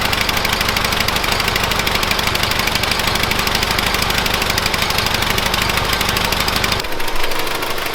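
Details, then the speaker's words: 1970s Bolens QT16 garden tractor, long unused with old gas and gravity-fed fuel to the carburetor: fast but uneven pulsing, hunting and stumbling before dropping off, about half choked; rough running, carb needs cleaning out. "it's about half choked so that carb needs cleaned out it's not running so great"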